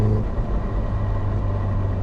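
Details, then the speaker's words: Caterham with a lightweight flywheel on a freezing November day: a low rumbling shudder through the driveline on throttle lift-off. This is normal transmission backlash from increased engine braking that a heavier flywheel would mask. "is this this judder this backlash through the transmission there you go and you know you get an amount of that from every Krum it's always there"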